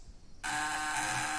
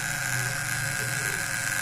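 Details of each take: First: Homemade fish-shocker vibrating contact breaker (platina) under test: a steady, smooth high buzz with no sputter, small spark and no heat; running cleanly and normally. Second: Homemade fish-shocker vibrating contact breaker (platina) at about 40 volts: a harsh, uneven buzz with a high whine, large sparks and unstable light; rough running with heavy arcing.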